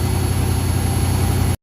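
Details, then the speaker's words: 1974 Ford F250 High Boy V8 fitted with a Sniper EFI kit, at idle: deep, steady rumble with a thin, constant high whistle heard on the fuel return side; owner suspects a fuel restriction, cause unfound. "Okay guys, we're going to walk up, but it gets kind of loud, and we can really hear the whistling now. So, and it's coming on the return side."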